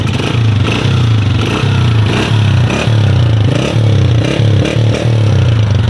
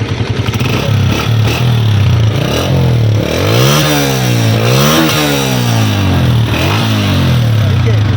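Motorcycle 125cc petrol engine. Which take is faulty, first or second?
first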